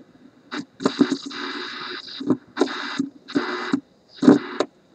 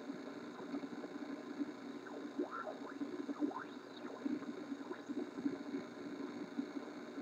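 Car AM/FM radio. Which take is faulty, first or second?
second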